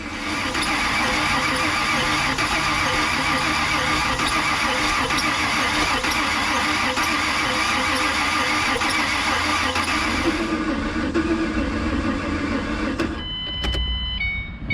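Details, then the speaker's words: 2007 Ford Mustang V6, accident-totaled, fuel pump working, owner suspects air in fuel lines: starter churns about four times a second for over ten seconds, engine never catches, then stops; crank no start, cause unconfirmed. "all right I'm going to give that starter a minute to cool down we have got we're close I can feel it we're definitely close"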